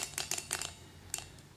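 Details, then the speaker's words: Six-cylinder Gatling Blaster Stirling engine after broken glass liner replacement, turned by hand with all tubes connected: light crisp metallic clicks in small clusters as all six displacers move freely; normal displacer movement. "now these are all connected and I can hear all six of them ringing"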